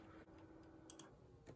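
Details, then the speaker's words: PC on an old motherboard with an AMD FX-8320 CPU: quiet room with irregular light ticks, a few a second, over a faint hum; unplugging the all-in-one liquid cooler pump confirmed it as the source, and it is likely failing. "It's got to be the pump. Like, that can't be anything else. Like, listen to that. Like, that's got to be the pump, right?"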